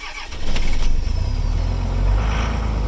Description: Cold start on my 2003 dodge ram 2500 24v Cummins in 10 degrees F. Not plugged in or started after 3 days of sitting.